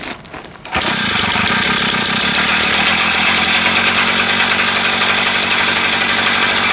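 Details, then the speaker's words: Small engine on a Jumping Jack restarted after a suspected fuel-flow issue from the tank; brief sputter, then it catches and holds a fast, buzzy, steady run with no misses. Normal running. "All right, well, that, you know what, it seemed to run."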